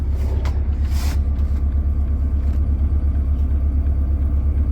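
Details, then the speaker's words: Boat's diesel blow heater running after warming the cabin to 16 degrees: soft, even low roar with a gentle regular pulse about twice a second, quieter than the boat's engine; running smoothly and quietly. "The engine's much louder. I can barely hear this thing. It's gorgeous."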